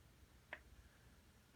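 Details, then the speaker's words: Carver PM-1200 amplifier: at power-on it goes straight into protection with the light solid red and fans not running; a relay clicks about once a second inside while some LEDs flash with it; repetitive clicking in protection mode. "power it on it immediately goes into protection you can hear something clicking on the inside of the unit"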